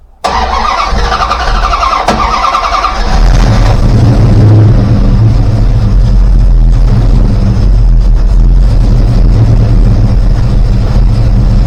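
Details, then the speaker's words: Rebuilt 360 V8, warming up: rpm lowered and timing cut to just under 10°; catches into a lumpy idle with uneven thumps and exhaust pops, suspected unburned fuel, cause unknown. "take the timing down as it's warming up a little bit back just under 10 you can still hear it banging away a little bit there"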